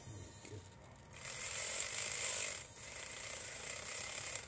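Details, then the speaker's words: RC4WD Trail Finder 2 RC crawler with Holmes Hobbies Torque Master 540 brushed motor, Tekin FXR ESC and two-speed transmission. A shrill, high whine rises with throttle, louder than normal; gear mesh looks good, cause unknown. "for some reason the gear doesn't sound right to me how loud it is I don't know if it's it looks like the mesh is good so I'm gonna have to double check that"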